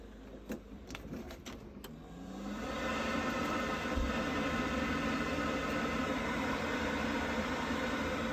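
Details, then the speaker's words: Worcester Bosch 30i ErP boiler, about five years old, after refitting the missing air intake silencer at the back: a few light clicks, then it fires and settles into a smooth, steady whoosh with no banging. "Right, with that all back in, all seems to sound fine now. Happy days."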